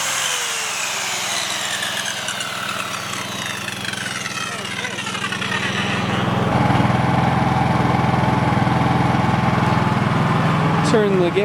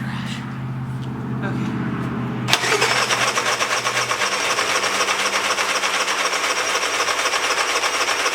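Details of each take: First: Dad's Honda 3000 generator after service, which reportedly used to bog down and die under heavy load, powering a skill saw: runs steady, then picks up and holds its speed under the saw load with no bogging or stalling; healthy. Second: Long-unused engine (Honda 3000 generator / Polaris snowmobile project) on old fuel, full choke: catches after a few pulls, runs loud with an uneven buzzing beat about four a second; runs only on full choke, exhaust smells of bad gas; fix planned: drain and refill fresh fuel.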